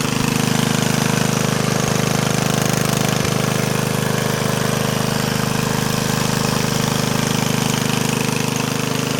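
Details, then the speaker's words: Yardman Snowbird snowblower single-cylinder engine running with a steady, even chug, a firm low beat and no misses or knocks; it sounds excellent and barely smokes, running normally. "That sounds excellent. It doesn't really smoke, so that's definitely a plus."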